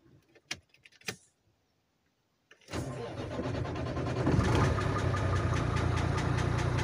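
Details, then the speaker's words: International truck with Cummins 11 diesel: cranks, catches and settles into a rough idle with a steady knock three or four times a second, slightly quieter with cylinder 5 disconnected. "на фишки отключаю 5 цилиндр чуть чуть меньше становится"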